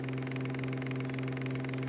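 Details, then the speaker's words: Homemade electric hub motor test, running about 4 volts at 4 amps, magnets only taped down: steady electric hum with light, fast, even clatter each turn as loose rotor magnets knock against back iron. "there is a slight clanking sound what that is is actually because I tape the magnets down as it goes around they're clanking back up against the back"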